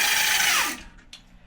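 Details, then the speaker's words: E-bike hub motor at highest setting (does almost 40): high clean whine holds steady, then slides down in pitch and fades as the wheel coasts. Normal hub motor whine at full assist. "Big difference. That's why it does almost 40."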